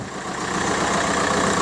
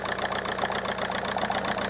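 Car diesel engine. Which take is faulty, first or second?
second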